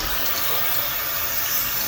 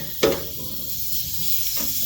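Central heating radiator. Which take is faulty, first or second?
second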